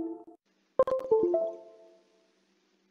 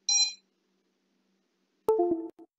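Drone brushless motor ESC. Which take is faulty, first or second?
first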